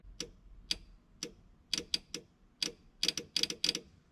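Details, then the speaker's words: Ford Model A street rod: with a fully charged battery, plugging in the alternator's 2-wire connector (exciter and sensing wires) makes the Vintage Air switch-panel relay chatter unevenly. It is thought to cause a battery draw; the switch panel is suspected shorted, keeping the relay energized. "I plug this in, I can hear that relay for that switch panel clicking."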